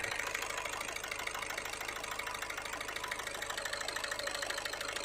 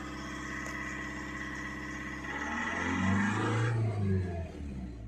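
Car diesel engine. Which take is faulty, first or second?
first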